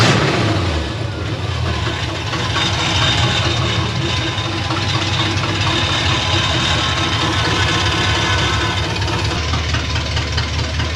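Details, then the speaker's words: 1964 Ford F100 with a Crown Vic swap, V8 idling at first run: sharp steady ticking over the exhaust pulses from leaking header gaskets, plus the collector flange rattling. Owner plans new gaskets. "the exhaust the headers are leaking like a Sie I knew these gas CU it would suck I can hear them ticking away"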